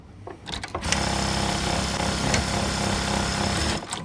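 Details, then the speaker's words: BAOYU GT-991 motor-driven buttonhole sewing machine (max 4000 rpm, auto presser-foot lift) running: short, soft, even stitching at a steady fast rate with no heavy cutter knock, unlike other models; quiet, normal operation. "ครับเห็นมยครับไม่ได้ยินเสียงที่เป็นใบมีดลงปกติเวลาเราทำงานจากรุ่นอื่นทุกรุ่นเวลาเรามันสับลงเสียงมันจะดังแรงดังโป๊กๆงแรงแต่ตัวนี้จะเสียงมันจะไม่มีเลยอันนี้สับสับแล้วนะครับไม่มีเสียงเลยเพราตัวเมันจะทำงานด้วยมอเตอร์"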